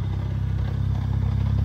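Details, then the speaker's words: BMW 135i, 550i/335is clutch with lightweight flywheel, sport muffler, about 400+ hp, over 5k miles: steady stock idle with a light, fast rattle like a slight engine knock. It is the lightweight flywheel chattering at idle, heard from a distance. "it's a bit it's a bit loud you know not too loud i think it's doable especially from this distance people might think you know it's a slight like knocking noise from the engine"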